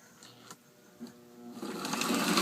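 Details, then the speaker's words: Old postwar Lionel 2037 locomotive after disassembly, gear cleaning and reassembly: small motor whirs up evenly with no catching; runs smooth where it previously jumped. "look at that remember how it was jumping last time that's smooth"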